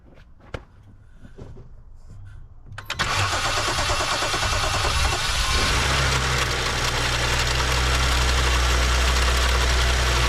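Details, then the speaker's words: BMW 535xi M Sport with a rebuilt engine that knocked after about 2,500 miles, started with a new high-pressure fuel pump and cam follower fitted and no air filter on: it catches after a few seconds, then idles with a steady, quick top-end rattle of about three taps per second. The same code returns; cause unconfirmed. "okay hey guys so um we installed a new highpressure fuel pump with the new plunger and we start it back up and we're getting the same type of a rattling sound"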